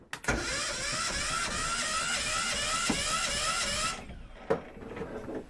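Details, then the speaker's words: 1978 Yanmar YSB8 marine diesel, sat 10+ years in a flooded boat: starter whirs steadily about four seconds, turning the engine over evenly with the starter solenoid bypassed; owner suspects the solenoid added resistance. "There we go. We have an engine that turns over. I'm just going to put the starter solenoid back on and see if that works fine."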